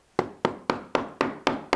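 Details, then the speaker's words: Knock test on a wall around a door frame: seven quick knuckle knocks ring hollow and rattly ("drummy"), showing plaster that has come away from the brick and needs removing. "that is drummy it sounds Ratt it sounds like this space between the plaster and itself"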